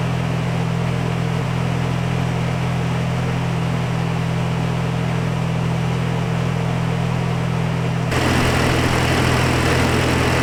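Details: Nissan 240SX S14 with a freshly installed KA24DE, Honda coil packs and ECU Master, oil primed beforehand, holding a steady, even low-rumble idle with no knocks or misses; normal, healthy idle.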